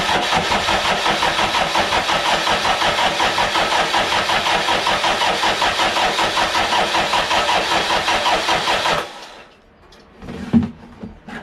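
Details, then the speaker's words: Toyota 1KZ diesel being fitted to a YN65 Hilux, rebuilt starter with new brushes: slow, even cranking about three pulses a second for nine seconds, never firing; cranks, no start. "So that seems to be cranking over a shitload better than it was."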